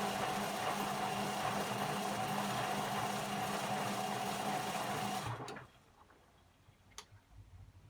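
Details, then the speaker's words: Beko WM5100W 5kg washing machine, found on the street and plumbed in, running a test rinse with rags: a loud, fast, regular whirring drone at about three beats per second stops abruptly. Described as very loud; motor noise cause uncertain. "it's very loud so why do people get rid of these things vanity maybe if you had a machine in your kitchen and it was noisy i can imagine"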